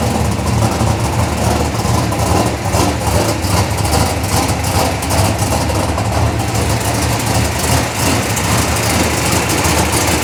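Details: Chevelle V8 with Edelbrock Pro-Flo 4 EFI, 13.5:1 compression, said to run E85, injection not yet fine-tuned, 3.5-inch collectors into 3-inch exhaust with mufflers: deep, burbly, steady, even idle with no knocks, misses or ticks; normal idle.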